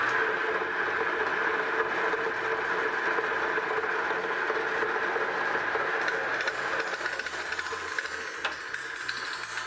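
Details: Highland Park J3 18-inch lapidary slab saw, run without oil: even, steady motor hum and blade whir with no knocks or grinding, running smoothly.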